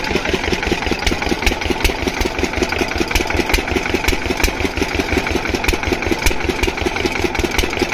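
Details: Single-cylinder diesel water-pump engine, after fixing the no-start caused by no fuel supply coming through, chuffs steadily with clean, regular knocks and no misses or hunting; running perfectly, no problem.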